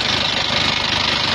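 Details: Isuzu Panther Touring diesel, cylinders previously re-sleeved with press-in liners, at idle: harsh, clattery idle with fast, dense ticking ("tek tek tek") over the engine; rough engine noise, cause not yet found, alongside oil leaks and thin smoke when hot.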